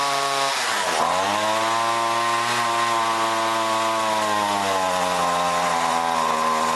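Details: John Deere BC1600 two-stroke trimmer (Zama H46 carb), sat unused two-plus years, cold-start test run: whine flattens and sags instead of climbing to full revs, bogging; owner suspects goop in carb, may need carb job.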